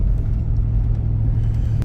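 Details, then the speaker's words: Jeep after replacing the failed fuel pump and the fuel filter (a nail was found in the fuel tank): steady low drone with no misses, knocks or ticks. Running normally after the repair. "Yeah, running pretty good."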